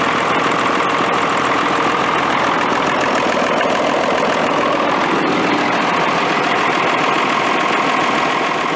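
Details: Military Deuce 'n a Half diesel truck idling after an ether start, with fuel delivery problems and a suspected air leak: even diesel clatter at steady idle, no misses or stumbles; runs smoothly.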